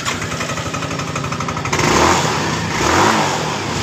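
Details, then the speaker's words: Yamaha Mio M3 scooter: the engine screams, flaring freely with a rising howl when throttled, and the rear wheel does not turn. A snapped CVT drive belt is suspected. "itu kita tarik tuas G seperti ini dan kemudian di bagian dari roda belakangnya tidak berputar kemungkinan di bagian motor ini di bagian fambelnya ini putus"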